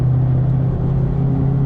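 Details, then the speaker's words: Ford mod motor V8 with Corsa exhaust and added Vibrant 1793 resonators to cut rasp; cruising in fourth gear at 2,500 rpm, mid-throttle, windows up, cooler day; steady deep even drone, no rasp or rattle; normal. "So guys, again, you can hear windows are up, mid-throttle or so, cruising in fourth gear, 2,500 RPMs. Car is very easy to deal with now."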